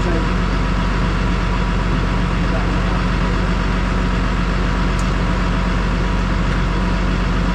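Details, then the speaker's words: Massey Ferguson 6480 tractor diesel, sat idle for 2 years after its injector pump fell off, running after the injector pump was refitted: a deep, steady chug holding an even beat with no knocks or rattles. Normal running. "and now the 6480 is back in Action so Lee has played a Blinder for us"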